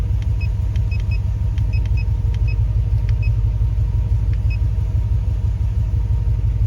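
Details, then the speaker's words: Hemi-swapped Grand Wagoneer idling with an uneven stumbling beat about three pulses a second; scan data shows both banks reading very rich, injector pulse lost on cylinders one and six, EGR reading zero; cause not pinned down: rough idle misfire. "so we're losing injector pulse a one and six"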